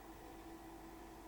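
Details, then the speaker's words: Sony SuperBeta SL-HF900 NTSC Betamax recorder playing a fast-running Beta I tape, with a good picture: quiet steady hum with slightly wavering tone, an odd noise that stopped after the bottom cover was removed and refitted; abnormal playback noise. "when I go to play it plays with a good picture but makes an odd noise"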